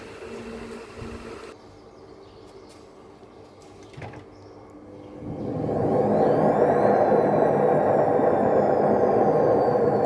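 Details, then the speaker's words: Panasonic washing machine with error H07, on direct spin up to 2000 RPM: rough growling rumble builds as drum speeds up and stays through spin; worn drum bearing needing replacement. "can hear the noise it is anyway bearing gone we have to replace the bearing also"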